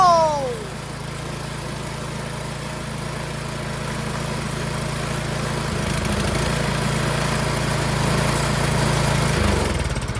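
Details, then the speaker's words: Troy-Bilt Storm 2410 two-stage snowblower, reassembled with new Hipa carburetor: single-cylinder engine holds a steady, even beat with no hunting, a lot smoother, choke clicking smoother. "It is a lot smoother. Yeah, the mechanism for the choke, the clicking, so much smoother."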